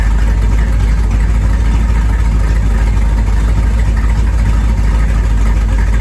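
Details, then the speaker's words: 1973 Corvette small-block V8, first drive in 5 years: deep even burble, steady low rumble, no knocks or misses; normal running. "Hey, I put in some sound at the end of this video. Watch for that. It sounds pretty great."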